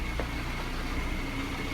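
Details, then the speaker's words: VAZ 2113/2114 (Lada) manual gearbox at idle: a thin, steady whistle over the engine, from the two fifth-gear bearings whining; idle speed also fluctuates slightly, possibly a vacuum leak. Gearbox to be removed and bearings replaced. "Сейчас там отчетливо слышен свист подшипников."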